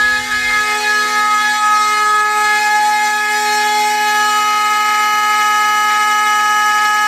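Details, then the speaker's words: Fire alarm system test, Simplex 4051 panel on continuous signal after heat detector set off with a lighter: loud, steady horn tone with a rough, buzzy edge; raspy horn, cause unknown, later cleared up by itself. "sounds awful raspy"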